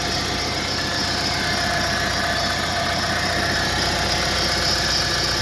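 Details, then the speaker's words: Renault Master diesel van at idle with a steady high squeal over uneven tapping; the pump has already been replaced, a pulley is suspected, and removing the belt to check did not settle it. "Então galera esse ali é o barulho ali não sei o que que é já foi trocada a bomba"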